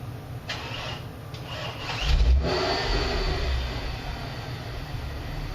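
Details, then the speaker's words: Neglected car first started on day one of its restoration with a battery charger attached: catches, then a lumpy low loping idle with hiccups; cause not yet known. "yeah i'm definitely getting some hiccups loping idle loping low idol okay so that's where we're at"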